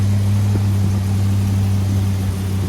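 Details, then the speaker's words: Big block Chevy running on a used lifter over a wiped-out flat tappet cam lobe, over 20 minutes in, temperature right at the thermostat, oil pressure just under 70; steady idle with a faint puffing from a small exhaust leak, no valvetrain tick. "It does have a little exhaust leak. That's what you're hearing right there, but temperature's good."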